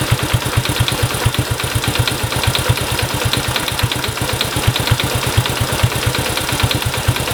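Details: Honda Cub engine, 65,000 km, abnormal noise: small single idling with a quick, fairly steady tick over the exhaust beat, about two per second; valvetrain-type tick, cause unclear.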